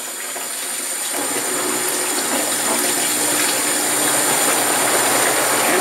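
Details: Panda B45 portable twin-tub washer (10 lb), about a week old: even whirr from the spin tub over rushing rinse fill water, no thumping after the unbalanced load, which had made a loud noise, was redone. Normal spin.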